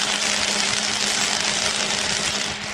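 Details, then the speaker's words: Running microwave oven: a harsh, rapid crackling buzz over its hum as it sparks on the right side near the magnetron, from carbon buildup; the fix is cleaning the waveguide cover and sanding off the carbon. "Lò vi sóng phát ra tia lửa điện trong video này tôi sẽ giải thích phải làm gì nếu lò vi sóng của bạn bắt đầu phát ra tia lửa điện khi lò vi sóng bật lên có âm thanh tia lửa điện phát ra từ phía bên phải gần nam châm Ro"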